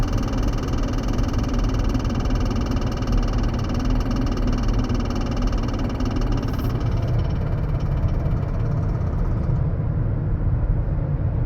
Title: 2008 chrysler 300 rattling noise trying to find out what it is